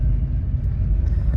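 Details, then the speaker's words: 2003 Honda CR-V before mount replacement, accelerating from a complete stop: heavy uneven rumble, whirring and shudder, tires feel like skipping, clunking into drive and much engine movement, from a bad transmission mount. "So it kind of feels like the tires are skipping a little bit. And that is due to my bad transmission mount."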